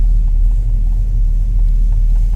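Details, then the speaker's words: 1940 Ford Standard Coupe street rod just cold-started on the key without pumping the pedal: deep, low, even rumble with no misses or ticking, nothing over the top. Normal idle. "Nice sounding car too. Nothing crazy over the top."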